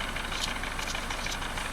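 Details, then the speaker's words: 2003–2004 Mercedes-Benz C230 Kompressor idling unevenly with a periodic stumble; misfire on cylinder 4, the rearmost, traced to its fuel injector, which was replaced. "And uh we got a misfire on cylinder number four. Cylinder number four is going to be the one furthest in the back."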